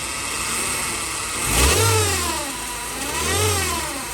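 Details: Chevrolet Cruze 1.8 being revved, a loud jet-like howl rising and falling in pitch from a failing transmission with broken internal parts; the gearbox is wet with oil, the oil level is still full, and the gearbox is to be torn down.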